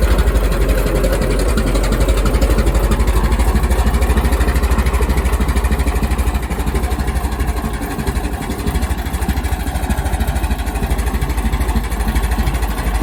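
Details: Restored 1921 American LaFrance fire engine after its finished restoration: a deep, even low thump of about three beats a second, steady with no knocks or misses; the old four-cylinder idles healthily.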